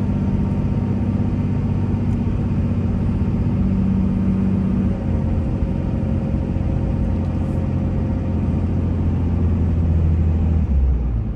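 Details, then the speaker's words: 2003 Dodge Ram 2500 4x4, 5.9 Cummins diesel, 85k miles, accelerating uphill through all automatic gears: steady deep diesel drone, pitch climbing and dropping cleanly at each shift, no knocks or slipping; smooth, healthy engine and transmission. "this truck runs and drives just like you would imagine a five nine third gen only 85 000 miles on it should not an issue at all with the automatic transmission it's just smooth and solid as it can be going from one gear to the next"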